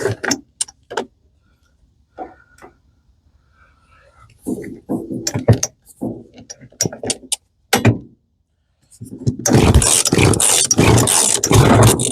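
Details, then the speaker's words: Roadside giveaway Hitachi CS33EB chainsaw, cold, on fuel left by the previous owner: several sharp pull-cord strokes, then it fires and runs roughly on full choke before being moved to half choke. It starts unexpectedly well. "Ooh, she fired. I'll give it like half choke. You gotta be kidding me."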